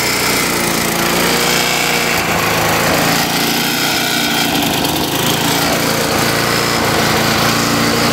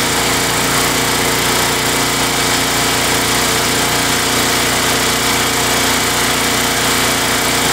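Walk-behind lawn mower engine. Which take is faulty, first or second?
first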